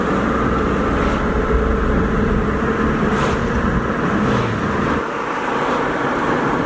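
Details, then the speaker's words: 20-year-old 2001 Jeep Cherokee Sport 4WD automatic on a test drive, check engine light on: steady drone then revs drop cleanly on a smooth upshift, no slip or clunk; overdrive works. "Tranny shifts out perfect. Overdrive works fine."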